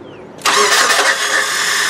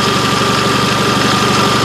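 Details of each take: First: '99 Nissan Altima 2.4 being started during ignition timing after a distributor replacement: brief weak cranking, then an abrupt catch into a busy idle. The starter is failing, with the Bendix intermittently not throwing out the gear. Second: 1999 Nissan Altima 2.4L 4-cylinder with a replaced distributor, after ignition timing was set with a timing light (pulley mark lined up with the cover mark). Smooth, steady idle with an even pulse of about four beats a second and no misses or knocks. This is normal.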